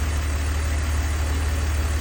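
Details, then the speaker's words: 2002 BMW 330Ci idle: deep steady hum, no ticking or misses; earlier tick gone, cause unknown, suspected collapsed lifter pumped back up or slightly under-torqued plug; runs smooth. "I like it when the problem goes away but I don't like it when I don't know what the problem was to begin with so but ultimately she's running good"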